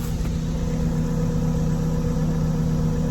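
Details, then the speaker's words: 2018 Jeep Compass Latitude with light damage, heard outside by the exhaust: smooth even low exhaust burble at steady idle, no knocks, ticks or rattles; very quiet and healthy. "it's uh sounding very nice let's step outside maybe we can hear the exhaust super quiet super quiet"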